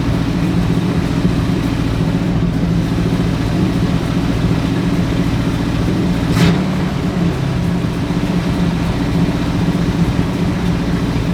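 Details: Ford Galaxie with 289 or 302 V8 (uncertain), freshly started, timing and carburetor secondary still to adjust: quick, steady idle with no rev changes, sitting noticeably fast; suspected cause timing, not confirmed.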